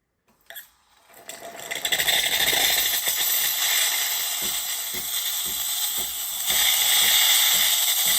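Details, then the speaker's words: Used bean-to-cup automatic coffee machine, steam setting, after a big crack the tester warns might be serious: a brief sputter, then a strong steady high hiss, messy but working. Steam wand normal. "Yeah, there is steam. Proper making a mess, keep that in mind. But it is working."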